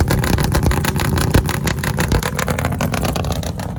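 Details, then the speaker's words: 1965 Ford Fairlane V8 just after its first startup following a new gas tank install: loud, uneven, lumpy beat that wanders and stumbles. Rough running; owner expects it to clear as it works the cobwebs out. "she's alive that's it we finally heard her run and she sounds nasty she definitely gotta work some cobwebs out"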